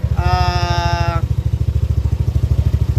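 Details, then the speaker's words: Yamaha Aerox scooter after repair of failed timing chain tensioner: steady, even exhaust pulses about three per second with no rattle or chain slap, brief tone over it; normal running. "So katulad nito, wala na, tahimik na. Hindi katulad kanina, sobrang pag nire-revolution talaga ang ingay niya."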